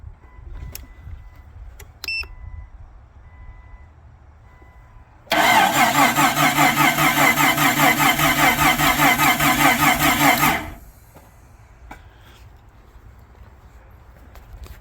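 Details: 1999 Jeep Cherokee after engine rebuild, first start attempt with battery dropping to about 10–11 V: about five seconds of steady cranking, roughly 2.5 turns per second, never fires; timing later flipped 180 degrees, cause unconfirmed.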